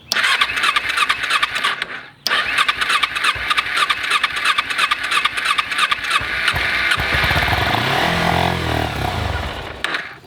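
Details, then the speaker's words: Motorbike stored about 4 years with a full fuel tank, fuel leaking from a hose: after cranking on choke, long whirring cranking with a short pause, then it fires and picks up into a rising run; starts after storage. "you can see the bike does start."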